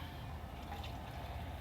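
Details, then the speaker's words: Small boat bilge pump rated about 1,100 gallons per hour draining accumulated water; the owner expects it to clog eventually. A steady low motor drone under rushing, gurgling water with no knocks or strain. It is running normally. "Again, this little pump is only designed to pump 1,000 what is it? 1,100 gallons per hour. And it's doing a decent job of it as long as it doesn't get clogged up, which it will, of course."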